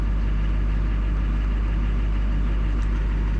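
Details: 2004 Duramax LLY diesel after CP3 pump replacement for a crank-no-start with fuel pressure in the 200s: even, low rumble at idle with no misses, knocks or surging; actual and desired fuel pressure now match.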